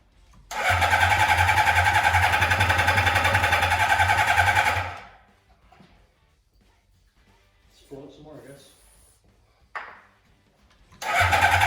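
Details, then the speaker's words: 1982 Suzuki GS650 Katana four-cylinder with cleaned carbs, after restarting on jump batteries: lumpy uneven beat and hard low drone for a few seconds; still running rough, cause unknown. "any better i don't think so but at least it runs again i didn't completely mess it up"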